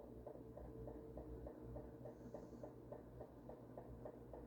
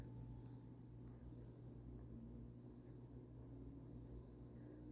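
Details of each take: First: Ventisol Fenix three-blade ceiling fan, newly installed, running on exhaust mode: light even ticking three or four times a second over the fan hum as the plastic lamp dome knocks against the fan; fix is raising the dome. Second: Tá indo, ó. O mínimo é bem mínimo mesmo, tá gente?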